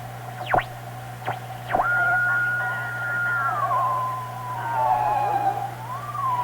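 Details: Marconi 201A AM/shortwave radio weak on shortwave, after replacing a wrong 0.05 µF capacitor with 50 pF, tuning near 8 MHz at full volume: over a steady low hum, a whistle rising and falling as the dial moves; oscillation or alignment suspected.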